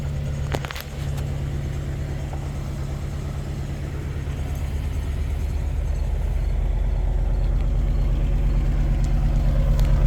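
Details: 2004 Jaguar XJR supercharged V8 idling below desired speed, deep rough idle pulsing about three times a second with restricted performance code; rough idle makes the supercharger clank.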